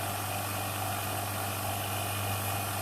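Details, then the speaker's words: Vacuum pump pulling vacuum on a jar to saturate a juniper wood razor scale. Steady even low hum with a constant motor drone, no rattles or surging; pump running normally. "Je lance maintenant ma pompe à vide et on va constater qu'on a très certainement encore un petit peu d'air à l'intérieur quand ça va commencer à buller."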